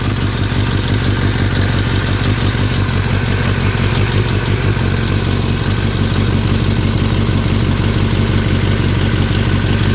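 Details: 2003 Yamaha R6 at steady idle, rattling since a recent trip to Europe: fast, loose metallic rattle about three beats a second; owner unsure if normal or if performance is affected; engine rattle at idle, source unknown.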